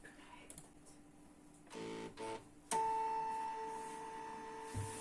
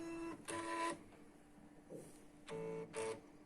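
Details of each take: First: Canon MF3010 scanner after reseating the flex cables that caused error E301, scanning via computer: a few short mechanical bursts, then the carriage motor settles into a steady, clean hum with no grinding; scanner now working normally. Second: Canon MF3010 scanner scanning via computer gives error E301 while copy mode works: two short whirring carriage-motor bursts, a pause, then two more as the carriage tries and gives up; cause found to be poor contact in the scanner-to-control-board flex cable.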